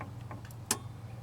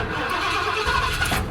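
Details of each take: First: Ford truck with a self-resetting ignition kill-switch relay, engine off, camera close to the relay: one sharp click over a quiet low hum as the key is turned off and the relay releases. Normal relay click. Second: Ford truck with self-resetting ignition kill switch activated; starter grinds, engine catches briefly, then dies once the key is released because ignition is cut until the hidden switch is used. Stall from ignition cut.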